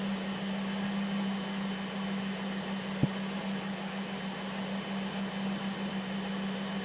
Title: 2005 Volvo S40 T5 Blinking MIL & Whining Sound